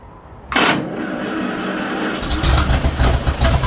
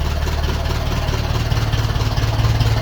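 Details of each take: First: 1951 Ferguson tractor after replacing the thermostat housing and refilling coolant, starting up: catches, revs surge up and hang, then sag back and die off; accelerator linkage set in the wrong position. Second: 1951 Ferguson tractor after thermostat housing replacement, throttle linkage being set: deep, even low thump at a slow steady beat, no knocks or misses; healthy idle, no leaks, temperature gauge working.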